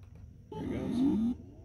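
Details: Brand-new Seagate 14TB Expansion external desktop HDD, phone placed on the drive at computer startup: a short chirp under a second rising in pitch as it spins up; second unit with same noise, chkdsk and SeaTools pass; cause unknown.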